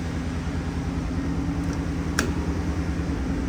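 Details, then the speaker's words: Good-running old engine sold with paperwork: steady, even low idle burble with no skips or knocks, no smoke or leaks; old pump audibly running; normal idle. "It don't skip, it don't smoke, it don't leak anything."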